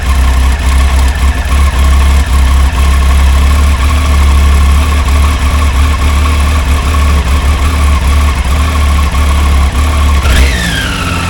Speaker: There's no engine lights or anything like that. It's just really rough.